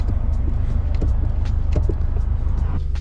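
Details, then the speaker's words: 2014 Subaru WRX hatchback clutch pedal after lubing the corroded pedal mechanism and spring, which had squeaked from metal on metal. It now works quietly with no squeak, only the idling engine's low hum and soft clicks. "it must have been just the metal against metal it looks like after lubing all that up the noise went away"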